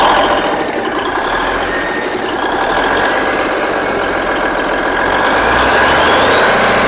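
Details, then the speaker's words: Rebuilt Big Cam Cummins NTC 365 diesel: steady fast even clatter, runs well with a slight surge; boost reference line disconnected and vacuum leaks present, owner thinks the surge may just need idle adjustment. "I mean, the thing runs good, runs every bit as good as candy."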